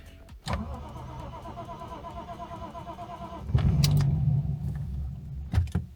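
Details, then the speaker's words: Lexus IS200 drift build, first start after a new fuel pump was fitted, with a fuel smell: it catches after a short crank, runs rough, flares once and dies, repeatedly. The owner now doubts the fuel pump was the cause. "Oh, it died. Okay. What? It's dying. Oh, it's dying. Oh, what? It died again."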